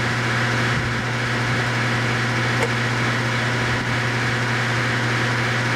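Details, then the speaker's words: Home central AC blowing hot air with the thermostat set to cool at 57: at the outdoor unit only a steady, even fan hum is heard, with no compressor sound. Compressor not kicking on; its common terminal later measured open, indicating a possibly damaged compressor. "So, what I see right here is that the fan is turning, but we can hear that the compressor isn't kicking on because you should hear the compressor sound and the fan sound."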